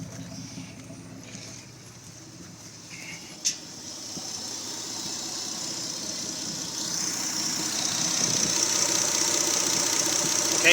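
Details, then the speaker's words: Mitsubishi 3G Eclipse 6G75 V6 idling with a clogged 3.8-litre injector swapped for a 3.0 injector, causing slight fuel starvation: uneven beat with an occasional bump in the rhythm; misfire from fuel starvation. "so it's got a little bit of fuel starvation which you can kind of hear back there uh at the beginning of the video that little bump kind of sound"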